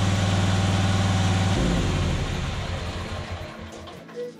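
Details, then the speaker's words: John Deere Z425 zero-turn mower with swapped engine, test run after carburetor cleaning, choke off and air filter housing refitted: small single runs with an even, steady beat, no stumbling or surging; running as well or slightly better than before. "reasonably good so I don't think I'm anything worse so I think I may have made it a little bit better"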